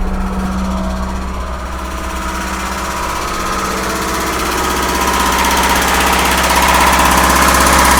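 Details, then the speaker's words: Truck with a Weber carburetor and a mechanical fuel pump, plus an added electric pump that primes the float bowl before start: starts right up and settles into a steady, even idle with good oil pressure. "and there it is it starts right up your oil pressure is good so that means it don't have a ground"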